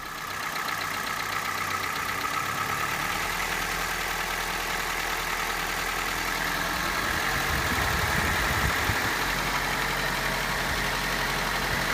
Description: The noise is high pitched, sometimes you can hear it faintly at idle, but mostly is very audible somewhere between 1800 and 2000rpm.